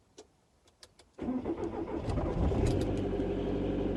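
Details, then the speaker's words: VW T4 van started after sitting most of the winter: a few light clicks, then a loud deep idle rumble because the rear exhaust silencer is completely sheared and just hanging on, causing the rattling noise. "it's just hung on and that was what was causing the noise on the way back from leyland's farm completely sheared"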